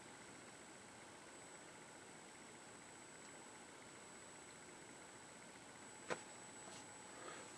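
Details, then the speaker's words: Dumont RA-102 "Clifton" television on its third power-up, with high voltage up to 9.3 kV and a weak 807 tube present: a loud, steady high-pitched whine. This is normal flyback ringing. "Boy, that ringing is loud. My upper frequency hearing isn't so hot these days, so I can hear it, but some of you cannot really hear it."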